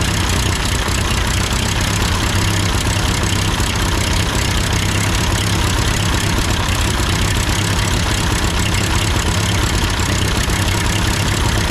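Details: Ford 8N tractor idling after an amateur adjustment of the carburetor: steady, even low rumble with no misses, surging or knocks over twelve seconds; sounds good, normal idle.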